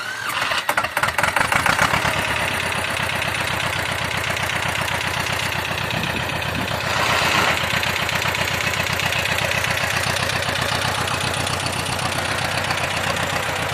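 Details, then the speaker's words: T-25 tractor diesel after repair (new brake drums, cable throttle, new seals): it catches after a few cranks and settles into an even, steady idle with a regular beat; running normally. "Ну а так, працює нормально. Зараз заведу."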